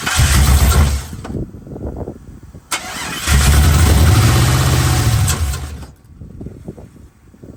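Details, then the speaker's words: 1979 Chevrolet C-10 with 5.3 LS swap, first start after a two-year build: engine catches, runs roughly a few seconds, fades, restarts and dies again; fuel pressure issues found afterward. "Well, it's making a little bit of noise. Sounds like we got a bit of an issue here."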